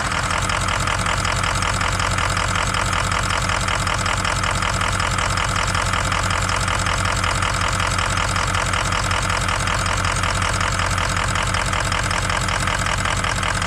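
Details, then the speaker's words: 2003 Ford F250 6.0 Powerstroke diesel at cold start, Archoil friction modifier just added: lumpy, uneven clatter at idle, normal for its first 10 minutes; owner suspects sticky injectors, rough and powerless until warm. "all right so i don't know if you can hear but it's running pretty rough and that's normal the first 10 minutes or so after i start this thing it is useless"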